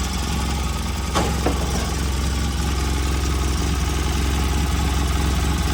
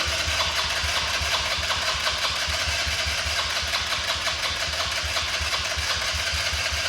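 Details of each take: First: Polaris RZR 800 after sitting for years, freshly rebuilt engine on first start: a couple of light clicks early, then a steady, even idle with a deep low thrum; engine runs healthy. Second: RZR 800 that sat a long time, first try on a new battery and fresh gasoline: small single-cylinder engine rattles and runs unevenly at a fast idle with a lumpy rhythm. Very dirty, full filter found; owner says it needs a carb job. Rough running after storage.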